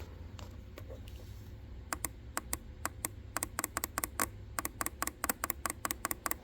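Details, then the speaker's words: FiTech EFI fuel injector from 1967 Chevy Nova, bench-tested with direct 12V pulses after cleaning: sharp, crisp ticks about five a second; formerly barely clicking, now snapping cleanly, likely freed of debris. "and you can hear it clicking so when I first started doing this that was like barely clicking it was so so so so quiet I could barely hear it"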